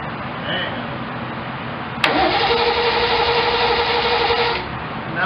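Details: 1972 Triumph TR6 after reassembly, battery charged, ground cable moved from frame to block to cure slow cranking: starter now spins briskly and evenly, about four compression pulses a second, no drag; healthy cranking.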